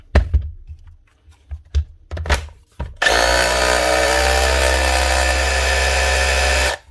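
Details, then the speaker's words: DeWalt power tool after repair of a burnt, arcing electrical connector causing stop-start running: steady high motor whir for about four seconds without rattle or grinding after a few knocks; normal running. "Sounds much better."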